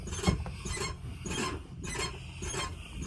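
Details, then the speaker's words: Leveled truck (2.5-inch level kit with shock extenders) on factory original shocks, rocked by hand: raspy grinding bursts about once a second from one worn shock; the shock, not the leveling kit, is at fault. "The one bad thing is, honestly, wish I would have ordered shocks, because over here, this one is grinding."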